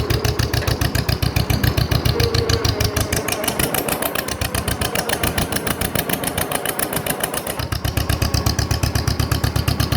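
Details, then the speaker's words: Restored 1948/1949 John Deere M two-cylinder tractor with reproduction muffler, under light load; strong even popping beat, no knocks or misses; engine healthy. "it's quite loud but it sounds really good when you put a load on it"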